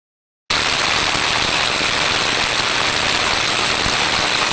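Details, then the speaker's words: Motor drive-end bearing heard through ultrasound probe, no record of last lubrication: 32 dB rise and severely changed tone, loud rough steady rushing with gritty crackle; bearing noise from lack of lubrication. "a large increase of 32 decibels and the tonal quality had severely changed this time around and this is what it sounded like"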